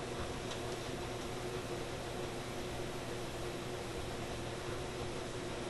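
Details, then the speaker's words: Sparton Model 67 vacuum tube radio at power-on, volume down, during fault repair: steady rough rumble and hiss with underlying hum, like a washing machine; abnormal noise, cause unknown. "gosh the radio sounds like a washing machine ok hmm well that's not very reassuring"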